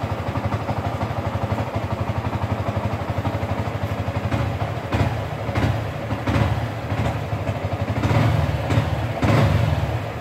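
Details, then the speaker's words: Yamaha Vixion R fuel-injected single at about 1,500 rpm idle: steady, even single-cylinder putter with a few light blips; cam chain sounds fine, healthy engine. "oke kita dengarkan suara mesin rantai keteng masih aman ya masih oke"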